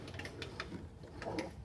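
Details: Honda HRR216 lawn mower after replacing rear wheel, drive pinion and sprocket (axles and pinions had no lubrication); crisp light clicks every fraction of a second as the wheel turns, drive ratchet freewheeling normally.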